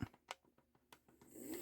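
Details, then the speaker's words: Atlas U25B Santa Fe locomotive from the parts bin, motor powered from a transformer, throttled up gently and run to spread lubricant. A few light clicks, then an even buzzing whir with no catching or grinding; motor works. "okay so the motor is in good working order let run a little bit here get that lubricant spread around"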